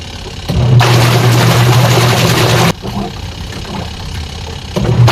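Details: Sharp single-tub washing machine after repair that fixed a stony grinding with water: motor drives the tub in even bursts of agitation with short pauses, smooth, no grinding; running normally.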